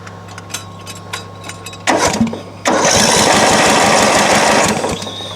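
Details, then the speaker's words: Craftsman LT1000 riding mower won't start despite choke on and a spark plug that looks good. The starter cranks the engine over in two bursts but it never catches: crank, no start. "so this mower has picked up and it won't start"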